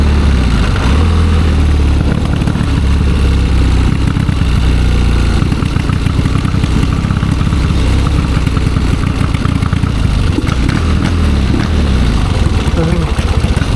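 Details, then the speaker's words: 1972 Triumph Bonneville 650 twin, long unridden, after a ride: loud, lumpy idle with uneven stumbling pulses, sounding very rich; cause not yet pinned down, a sticking choke suspected then doubted. "Really rich, isn't it? Runs terrible. Yes, it does."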